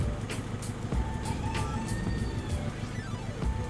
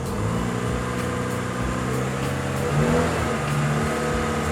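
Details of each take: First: 2002 Honda, warmed up after sitting (normal when cold): lumpy misfiring idle with irregular low thumps under music, engine shaking hard, incomplete combustion; cause found to be corroded cylinder head water jacket. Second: 2002 Honda City, petrol engine still cold: idles and takes light throttle blips smoothly, no stumble or misfire; misfire appears only once warm, traced to a corroded cylinder head water jacket. Normal cold running.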